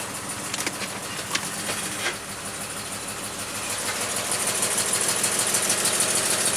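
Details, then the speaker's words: 2000 Jeep 4.0 with coil rail, no check engine light, heard from the exhaust at idle: uneven, stumbling miss, one or possibly two cylinders. Spark plug center electrode later found burned down. Misfire. "listen to the [Applause] exhaust it's stink sounds like one cylinder but it could be two"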